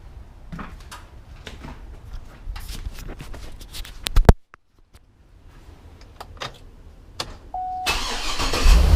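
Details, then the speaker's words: GMC Yukon Denali 6.2L LS (DOD) after pulling the heads and replacing the lifters: engine fires and settles into a steady, even idle with no chattering or lifter tick; normal idle, problem fixed. "the engine sounds great there's no chattering"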